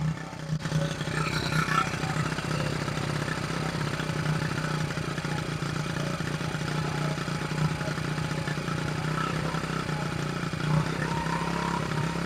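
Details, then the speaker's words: 1974 Honda XR75 small single, idle jet changed 38 to 35, fuel screw at 3/4 turn out, idle screw backed all the way out: fast steady idle that won't settle; idle speed stuck high. "By idling it down and it's still wanting to idle up."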